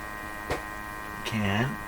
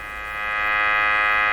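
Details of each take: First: Canadian Westinghouse Model 684 radio with its defective second IF transformer bypassed, during first IF adjustment, heard up close at the speaker; steady low mains hum with fixed tones and a couple of adjustment scrapes; speaker hum, cause unknown. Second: Canadian Westinghouse Model 684 radio during sweep-generator testing of its IF bypass: a steady, buzzy tone with a bright edge through the speaker as the sweep crosses the tuned band; the IF path passes signal.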